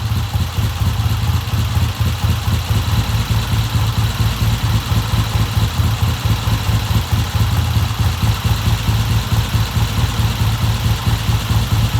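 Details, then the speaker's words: 1970 Triumph motorcycle with a hard-starting history, just fitted with a new Premier carburetor: steady, even low idle thump with a regular firing beat, no misses, knocks or rattles; healthy, normal idle. "Okay, that sounds pretty good. I'm gonna leave it like that, and I'm gonna let it sit here for a while."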